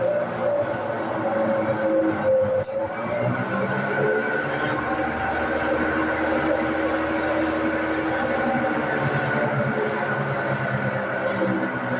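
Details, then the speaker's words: Brastemp washing machine in the spin cycle: a loud, steady roar with droning tones and no knocking from a damaged drum bearing; the fix is to replace the bearing, transmission and seal together. "Bom, eu tô aqui com a máquina de lavar bras temp e ela tá fazendo um barulho muito alto na centrifugação. E nesse caso aqui, esse barulho é de um rolamento da máquina que está danificado."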